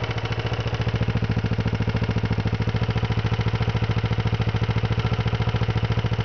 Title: 92 ninja 250 bad rod bearings